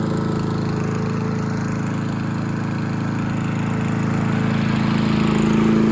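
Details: Craftsman M270 mower, 159cc electric-start single-cylinder engine, after no-start repair: steady, even drone holding speed without surging or missing; running smoothly and healthy.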